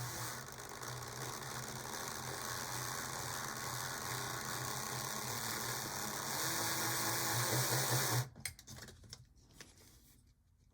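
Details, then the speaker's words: HO scale model locomotive motor, held slightly off the track: steady whir with fast regular clicking about three per second; gears suspected not seated, noise not cleared by running, to be disassembled and lubricated. "let's let it run for a minute and see if it'll clear or if these gears will seat on their own"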